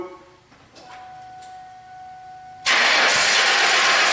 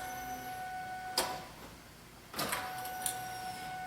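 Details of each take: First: 2000 Ford Mustang no-start: the starter cranks steadily in long bursts with no catch or firing; no fuel pressure was found and the fuel pump is suspected, with the tank to be dropped. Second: 2000 Ford Mustang no-start after new fuel pump and filter, key on: faint steady hum with a couple of clicks from the rear as the pump primes; normal, about 50 psi priming, around 30 running.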